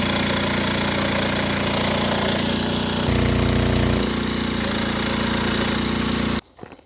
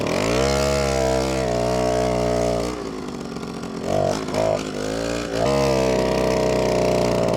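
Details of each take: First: Old pedal-start moped; loud rough two-stroke running about six seconds then cutting out abruptly; old spark plug gave weak spark versus a new one; stalling from faulty spark plug. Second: Old moped, after 5 years sitting in a barn on old fuel, after a spark plug change and slight carburetor adjustment: a crisp two-stroke buzz that picks up cleanly on throttle blips and settles back to a steady idle. It now runs normally.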